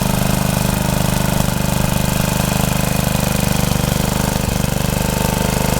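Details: Rebuilt Troy-Bilt tiller digging under load: steady single-cylinder chug about three and a half beats a second holding pace; runs healthy, though owner saw heavy smoke under heavy load and suspects blow-by past the rings.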